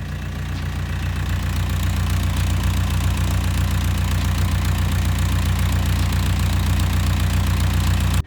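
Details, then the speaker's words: Mustang skid steer diesel warmed up after a minute or two: deep even thrum about four beats a second, no surging or misses, smooth idle; owner suspects fuel system behind cold-start surging. "when you first start it it runs kind of rough like surges but then after about a minute or two it just completely runs fine"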